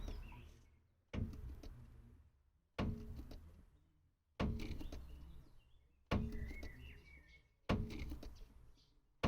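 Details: 2012 Peugeot 308 suspension: dull thuds roughly every one and a half seconds as the body lifts and the suspension extends, a knock on rebound.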